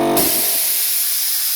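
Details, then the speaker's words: Air compressor with a newly fitted manifold gives a continuous sharp air hiss: the unloader valve in the new manifold still is not shutting off properly, and an alarm is also sounding. "So I've put a new manifold on my compressor, and still the unloader valve in the new manifold also is not shutting off properly."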